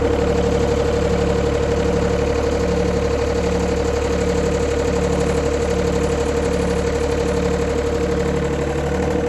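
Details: 1990s John Deere F1142 diesel mower, cold January, started via jumper wire, fuel shutoff solenoid not working: steady three-cylinder diesel idle with even light clatter, holding speed on its own. Engine runs fine.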